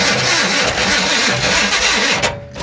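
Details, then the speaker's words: 1966 Impala SS big block parked over 10 years, fed gasoline down the carburetor with a fresh battery: harsh cranking whir, catches briefly with uneven firing, then dies and won't stay running; fuel delivery from the tank suspected. "dang it man she runs guys she runs it's just keeping it running come on okay enough playing around obviously she's not wanting to stay running"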